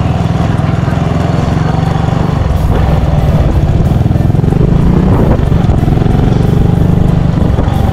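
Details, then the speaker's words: Motorcycle right after a stator coil replacement; the old worn stator made it hard to start, even on the starter, and now it starts quickly. Steady, even engine note with a smooth, unbroken beat and no misses or knocks: normal running. "Basta bago ang stator coil mga kadyos. Ang ganda ng tunog, ang ganda ng andar, mabilis lang umandar."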